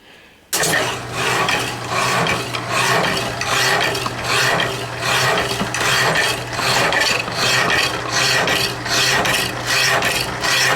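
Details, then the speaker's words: Saw cutting metal on a machine-shop tool during a move, even rasping strokes about seventy-five a minute, steady and unlabored as the blade bites; it actually cuts pretty fast, estimated 2–3 minutes to cut through; normal cutting. "it actually cuts pretty fast."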